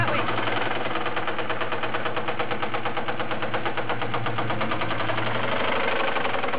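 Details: 1997 Mustang Cobra 4-valve V8 with Kenne Bell supercharger idling: steady light ticking knock about three a second over rumble; suspected rod knock, diagnosis pending.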